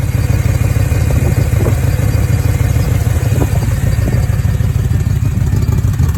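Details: BMW E9x M3 with S65 V8 in limp mode: lumpy, uneven burbling rough idle with puffing chuffs from a missing header-to-mid-pipe exhaust gasket, with misfires in cylinders 5–8.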